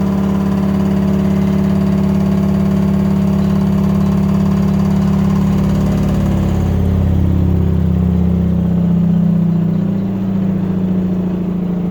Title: LG Waschmaschine laut beim schleudern